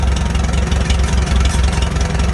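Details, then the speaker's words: Farmall H tractor with a Delco distributor, idling slow at about 450 rpm during carburetor adjustment: lumpy thump with a light metallic ting over it, from something loose that needs tightening. "it's ting tang i need to tighten that sucker up it drives me nuts but uh that's about 450 rpms right there i'm fine with that"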